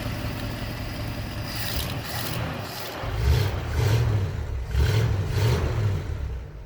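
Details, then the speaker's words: 1964 Ford with FE V8, Summit 600 carb, burning old oil off exhaust from leaking valve cover gaskets, after months sitting: smooth rumble through throttle blips, no knocks or misses; normal engine revving. "Some cliche FE noises for sure. There she is running away. Just burning off some of the old oil that ran down on all the exhaust here because I've neglected to do the valve cover gaskets yet."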